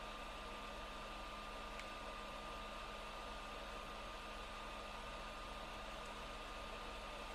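Steady, loud rushing whoosh with a thin constant whistle on top and no change in speed: the console's cooling fan is running hard.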